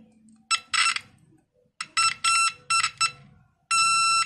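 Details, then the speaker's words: 9-volt continuity buzzer tester probing a transistor. Sharp beeps sound on every probe contact in both directions, meaning the transistor is most likely shorted. "nah ini cepatnya seperti itu kan ini transistor ini Normal atau putus atau kongslet"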